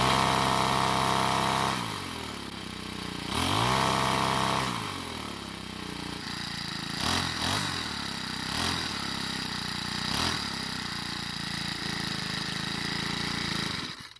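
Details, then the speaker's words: Troy-Bilt 4-cycle edger started after priming gasoline through the air inlet: catches, idles steadily, then revs up and drops back cleanly several times with no misfire; runs fine, hard starting suspected from valve clearances. "Now the strange part is that once started and running, it has zero problems. It idles just fine, revs up perfectly, and has no other running issues."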